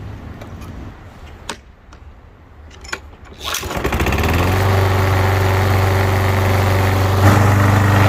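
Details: Lawnmower after draining old gas, refilling with fresh gas and refitting the carburetor bowl: a few pulls, then the engine catches and settles into a steady, even buzz with no misses or surging; running properly.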